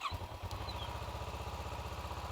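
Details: 2012 Kawasaki Ninja 650 during no-start troubleshooting, with 12 V confirmed at the starter plug while cranking: quick, even chugs about twelve a second, strong and steady; the starter is getting power and cranking normally.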